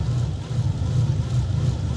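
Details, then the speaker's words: Bentley engine idling with a bad misfire, as if running on only a few cylinders: low, lumpy idle with uneven, wavering pulses. Owner first suspected a non-working MAF sensor; the misfire was traced to the cylinder 10 injector, which was replaced. "The engine is actually misfiring so badly. It feels like it's working on a few cylinders."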